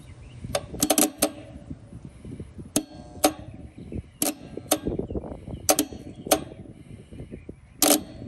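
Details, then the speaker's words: HVAC system freezing up; contactor points slightly pitted, low-voltage wire pulled to test; several sharp, crisp clicks as the contactor snaps open cleanly each time: contactor releasing normally, not the cause. "hear it it's definitely releasing yeah it's not the contactor now nope it's not the contactor"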